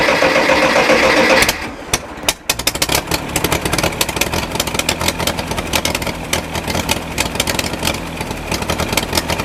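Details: Massey Ferguson 135 tractor, Continental 2.4L gasoline four-cylinder, after draining tank and refitting the carburetor: uneven stumbling run with irregular pops and slight surging as the governor compensates; sounds fuel-starved, cause not yet found.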